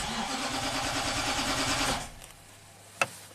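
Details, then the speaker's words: 2009 Nissan Titan V8, 130k miles, cold crank no-start after limp-home incident and battery replacement: steady starter cranking about three turns a second for two seconds, never catches; sounds like good compression, spark or fuel suspected. "it's definitely a crank no start let's try it"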